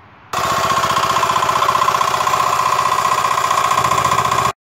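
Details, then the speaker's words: Honda small single-cylinder engine, suspected tampered valve lash, later traced to the connecting rod: holds steady speed with a hard, regular knock on every beat; connecting rod knock. "hey guys so I picked up this Honda engine and it's got a knock in it which sounds a little like this"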